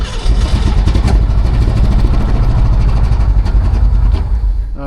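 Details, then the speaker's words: 1967 Shelby GT-500 stored in a container 40 years, just fired, no coolant in it yet: deep uneven rumble with irregular beats, not settling; rough running. "Fired. Sounds pretty rough, but it don't have water in it yet."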